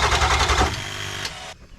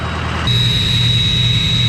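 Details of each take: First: Ford F250 7.3 Powerstroke diesel that would not start after a passenger-side injector replacement, cranked on a jump box after glow: fast even cranking chug for under a second winds down with no catch, then silence; crank no-start. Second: Ford 6.0 diesel, 2003, used as a comparison truck: even diesel clatter at steady idle with a constant high turbo whistle, no misses or knocks; running healthy.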